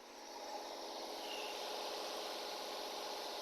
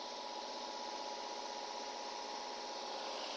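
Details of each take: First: Nissan/Infiniti VQ35 3.5 L (G35), cold, just after reconnecting and bolting the coil: very smooth, steady fast idle above 1000 rpm, no misses, expected to drop toward about 850 rpm once warm; normal cold idle. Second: Nissan/Infiniti VQ35 3.5 L (G35) started after hose and cooling-hose work: uneven lumpy idle with a regular stumble about four times a second, a misfire because coil number two was seated but not bolted or connected.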